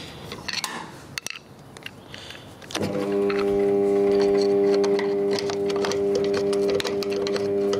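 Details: 1980-81 Australian Brandt dishwasher, original: motor comes on with a flat, steady electrical hum, never spinning up freely; worn rear shaft bearing dragging the main pump motor, drain pump also needing a seal.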